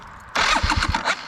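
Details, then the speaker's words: TRS Xtrack (about 200 hours) with intermittent no-start: starter relay clicks but nothing happens unless handlebars turned right; here starter spins briefly and engine catches into a quick, uneven idle; owner suspects a main power lead broken inside its jacket from steering flex. "So right now you can hear the starter relay clicking in there but nothing happens."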